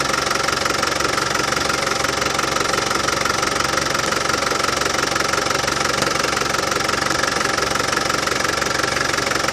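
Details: Land Rover Defender 200Tdi diesel idling after new power steering pump fitted and steering box bled: even clatter about two and a half beats a second, no rattle; new pump cured it.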